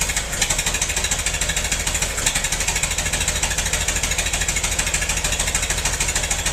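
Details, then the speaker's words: Massey-Harris 44 tractor stored about 10 years, new points: loud uneven chuffing, about three pulses a second, lumpy off-beat rhythm; cylinders 2 and 3 not firing, owner suspected stuck valves, plugs or wires; a stuck intake valve was found. "I checked it out. 2 and 3 cylinders aren't hitting. Either got some stuck valves or bad plugs or bad wires."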